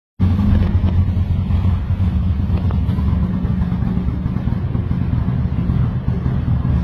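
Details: Lexus IS300 with built 2JZ-GE turbo on first start: deep loud idle with an uneven lumpy throb that never settles; rough idle.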